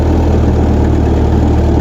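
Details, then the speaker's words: Refurbished tractor idling cold after repairs on a night shakedown: a deep, smooth idle with a steady low rumble and no ticks, knocks or stumbles, running clean with good oil pressure. Normal idle. "Cold girl sounds good, too. idling clean, running happy."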